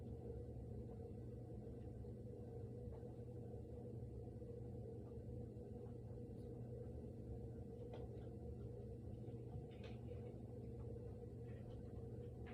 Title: Noise starts after the fridge stops making noise